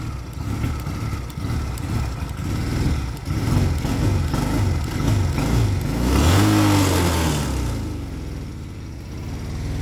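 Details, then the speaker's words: Engine running without smoke: burbles roughly at low revs, then revs itself up hard near the end before settling; surge cause unclear. "Well, look, it's calming down now. How great's that? Oh, hello. That was a bit fierce, just revved itself up."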